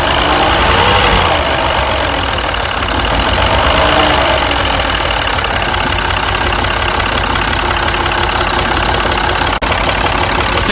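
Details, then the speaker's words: Mini petrol engine at idle, bonnet open: rough, uneven idle with irregular stumbling beat; misfire traced by unplugging pencil coils one at a time, failed ignition coil on one cylinder. "so we are first going to start the car and as you can hear this car is misfiring"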